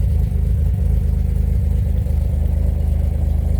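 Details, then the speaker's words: 2007 Pontiac Grand Prix GT being moved after its oil change: uneven, lumpy low throb with irregular beats around three to four per second at idle. It sounds really choppy and is smoking; cause unclear. "i got inside it was sounding really choppy damn it's smoking like a [ __ ]"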